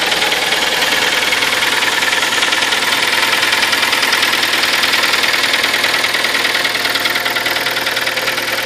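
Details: Kia Sportage, 43,000 km, 4.5 years old, Shell Helix Ultra 5W40 oil. Sharp, even ticking knock about three times a second over a steady idle, standing out above the engine; knock of unknown origin.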